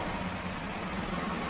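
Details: Maspion standing fan that was seized and only hummed, after freeing and servicing the motor: steady low hum under even airy whoosh, no scraping or stalling; motor spins freely and sounds healthy.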